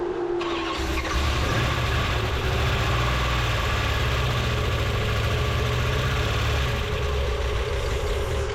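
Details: 1973 Plymouth Duster, early Gen III 5.7 Hemi with Eagle heads, cranks, catches and settles into a heavy, uneven, lumpy idle. Plugs had closed gaps and aluminum shavings; pistons are hitting the spark plugs, causing rough running.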